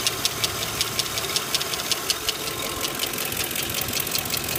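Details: Lincoln Town Car at steady idle: sharp light ticks about 160 a minute, a top-end rattle/tick; owner suspects a lifter, not confirmed.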